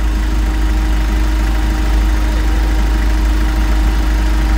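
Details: Engine after replacing timing chain, guide and tensioner (previously very noisy, loose chain, stuck tensioner): deep steady idle rumble with no clacking or rattle from the front; timing chain quiet, normal idle.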